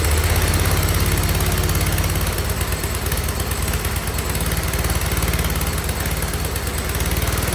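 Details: 47-year-old Wheel Horse tractor, single-cylinder, idling after slight carb tuning with choke fully off and no air filter fitted yet, no smoke: steady, even low putter with no misses or stumbles; healthy idle.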